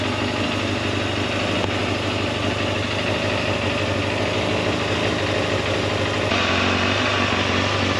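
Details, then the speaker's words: Warmed-up multi-cylinder engine at idle on a temporary fuel tank during carburettor balancing with a vacuum gauge; steady pulse whose pitch shifts as carb balance and idle speed are adjusted. "So as you make an adjustment, you'll hear the idle go up and down, and then you adjust the idle speed until you get it all nicely balanced and a good idle speed on"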